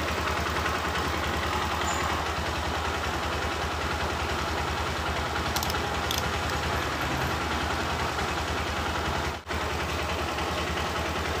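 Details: Honda Verza 150cc single idling with an even low putter and slight unsteadiness, no clear knock; complaints are occasional stalling and a dead electric starter, cause not yet found (fuse, charging, battery or relay being checked).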